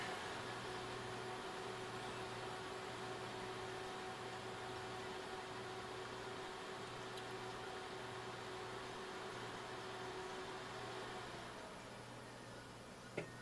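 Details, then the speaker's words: VEWIOR air purifier, received 2022, being repaired and run without a filter: a steady even fan whoosh with a low hum and no surging, holding one speed, a normal fan while the sensor settles. "now it sounds like a fan now it sounds like a fan so we got to just wait for the sensor to uh sense"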